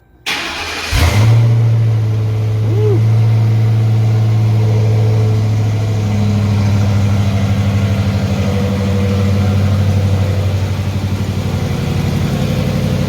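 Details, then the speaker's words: Police Interceptor Crown Vic with new stainless long-tube headers, catback exhaust and cold air intake, startup: short crank, deep even V8 burble, light rev in park around 3500 rpm; new headers smoke slightly; runs healthy. "let's get a little rev that thing sounds good man"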